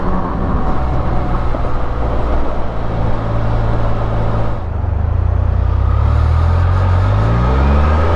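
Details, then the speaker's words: 2023 Can-Am Spyder, under 1000 miles, riding at near-neutral throttle: deep road rumble with a faint Honda-like whistle rising and falling with road speed; normal characteristic gear whine, not belt whistle. "if you get them in this like kind of neutral throttle thing you hear this Honda like whistle that goes on that really tight well-made sound you know some people find that irritating I love it man"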